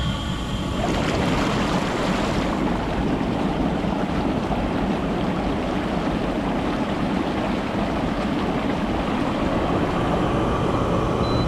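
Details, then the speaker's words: Saluspa Coronado inflatable hot tub after one year, bubble system switched on: constant rushing hiss and bubbling water over a steady blower hum, no rattles or surging; running normally. "As far as the pump, it's working extremely well. I have had zero issues with it."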